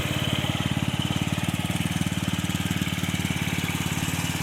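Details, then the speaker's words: 2007 150cc GY6 scooter after repair and throttle stop adjustment to lower idle: steady, even single-cylinder putter at about 220 beats a minute, no knocks or misses; butter-smooth normal idle. "so hopefully it'll uh idle a little bit lower now nice just butter smooth"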